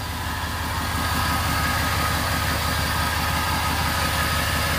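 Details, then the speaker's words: 6.0 diesel truck, first start in a while: steady, even diesel clatter at idle with a regular pulse and no misses or knocks; engine running healthy. "sounds good"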